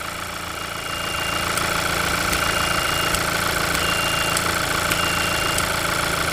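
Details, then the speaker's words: Petrol engine at idle: thin high whistle coming and going as a finger covers and uncovers the PCV valve, showing the valve opens and closes properly. "once we start the engine up we're just going to put our finger over the end of the valve and then take it off and see if we can feel it and hear it moving because that'll show us if it's opening or closing you can hear the valve whistling"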